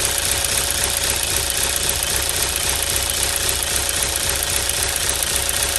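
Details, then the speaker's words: 2016 Chevy Cruze 1.4L turbo Ecotec at idle, found about four quarts low on oil, nearly empty; light, fairly steady clicking near two a second over a quiet idle; valvetrain clicking from oil starvation. "all right it was reading about it was about four quarts low so basically empty a quart don't know how steel running"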